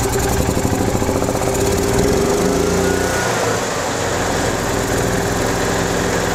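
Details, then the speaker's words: 2015 EZGO Express S4 gas golf cart, after a crank no-start from water in the carburetor and an added fuel filter, starts in neutral without choke; the small single-cylinder engine catches quickly and settles into a steady, healthy putter. "okay so we're able to get the engine to start without choke which is good"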